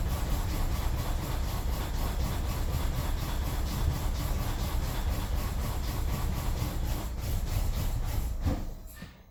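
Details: 2003 BMW 745Li E66 with a new battery, misfiring since all spark plugs and ignition coils were changed: lumpy running with irregular stumbles, then sags and dies; codes show all camshaft position sensors and misfire with fuel cutoff on cylinders 8, 3, 7, 6 and 4; cam sensors next.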